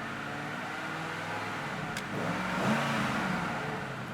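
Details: 1996 Ford Mustang Cobra convertible V8, 5-speed manual, dual exhaust: runs evenly, then a quick clean rev before settling back, no misses or knocking; normal start and revving.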